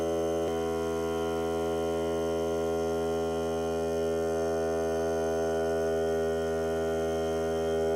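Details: Hart cordless air compressor during break-in run on a fully charged battery (30 minutes or until the battery dies), pressure around 30; smooth constant motor hum, even pitch, no hiss or stumble, normal running.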